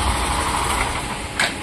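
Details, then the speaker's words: Hero Super Splendor/Glamour BS6 motorcycle, 4,014 km, kick-started, idling after a repair: the khar-khar scraping noise from the kick-shaft pinion is gone after the stopper plate was bent up. A steady, even idle with a soft hum; normal idle. "দেখো এবার কিন্তু গাড়ি কাজ করার পরে কিন্তু এই আওয়াজটা নেই।"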